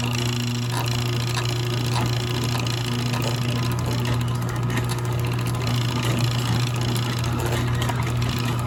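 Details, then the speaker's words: Craftsman garage door opener (Canadian model 102 1499A), bought used for spares, wear debris around the worm gear: steady motor hum with rough uneven grinding rattle; drive shaft bushing worn, and the owner also suspects the sprocket moving on the chain. "Clearly something's wearing there. I'm guessing from above. Must be the bearing. Let's operate it and I'll let you hear it. Jeez, sounds horrible."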